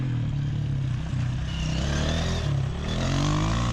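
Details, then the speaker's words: Motorcycle exhaust heard while intact, before a hole cracked next to the block made it loud, chattering and possibly prone to backfiring; deep, steady burble rising smoothly with throttle, no popping or leak rasp; normal exhaust sound. "There should be a video where my bike sounds normally right about here."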